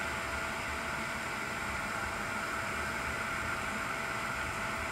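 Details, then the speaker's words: Swiftech Apogee Drive II pump in a water-cooled BitFenix Prodigy home server with an XSPC EX240 radiator, drawing in coolant: a faint, steady whir with a thin hum, no rattle or surging. Running normally. "now this little pump is pretty strong look at that"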